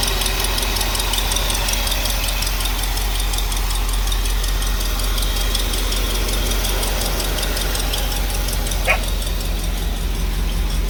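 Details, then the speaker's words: 1964 Cadillac DeVille convertible V8 after rewiring the ignition resistor wire for the Pertronix: much quieter, no surging, but a rough idle with a fast, uneven light tick. An exhaust leak on one side is suspected, and the ticking cause is uncertain. "Seems like she might have a ticker, but I think she does have an exhaust leak, and I think it's on this side."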